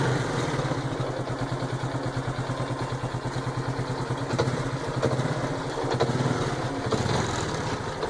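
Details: 2010 Honda Biz 125 idling fresh out of an engine rebuild, with a regular, fast, light mechanical knock in time with the engine; mechanic says piston skirt slap, owner doubts it; cause unconfirmed.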